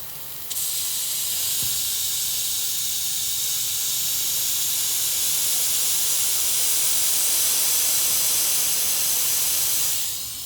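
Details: Lennox gas package unit with no cooling or heating, side panel and cage removed: loud, steady high-pitched hiss starting abruptly and holding about ten seconds, refrigerant escaping from a large condenser coil leak.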